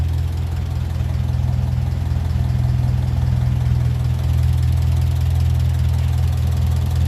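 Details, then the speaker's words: 1957 Ferguson 35 TVO tractor idling warm on TVO after valve clearance reset; steady low thrum with regular light tappet tick, slightly louder, owner suspects adjuster ball ends wearing in; normal idle. "it s nice and healthy a little bit louder but I suppose they're all just wearing into each other them little ball ends on the Adjusters"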